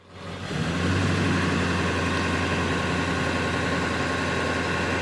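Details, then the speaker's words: 2002 Ford F250 7.3 Powerstroke diesel, high idle control active with the parking brake set and foot off the brake: clatter swells, then settles into a steady, even raised idle with no knocks. Normal high idle. "I notice I'm not my foot's not on the brake and we have a nice high idle"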